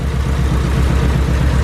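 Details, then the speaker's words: Imported car just picked up from the port, misfiring: rough, uneven low idle pulsing six–seven times a second, shaking, hesitating and sometimes stalling; misfire suspected, not confirmed. "So again, I'm not really sure if you guys can really hear this or not, but it sounds rough. Very rough actually."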